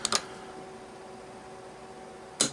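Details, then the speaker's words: Sargent and Greenleaf S&G 6120 electronic safe lock, removed from the safe and bench-tested with battery and keypad: sharp solenoid snaps at code entry, two quick then one more about two seconds later, but the bolt never moves; solenoid clicks but the lock fails to open, cause not confirmed. "Actually, it didn't unlock, so which has been the problem the whole time. Thing just doesn't. You can hear the solenoid snap, but it just doesn't unlock."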